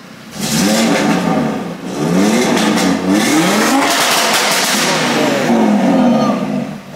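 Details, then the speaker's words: Audi RS3, forged, with existing engine and TCU tune, freshly started: strong, clean revs rise and fall repeatedly with crisp pops and bangs on each lift-off. The engine pulls smoothly and sounds healthy. "the car had a hybrid turbo previously so as you can see the engine is definitely tuned up you heard the pops and bangs"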